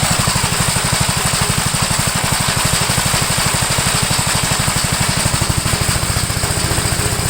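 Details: 1962 Gravely LI tractor, single-cylinder, mowing after valve adjustment and carburetor tuning: steady, regular thump holding an even pace under load, no misses or clatter; runs acceptably.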